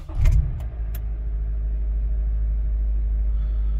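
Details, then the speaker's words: 2013–2017 Honda Accord, cold start the day after timing chain tensioner replacement: engine catches quickly and settles into a smooth, even idle with no rattle. "so as you guys can see it sounds much better there's absolutely no Rattle"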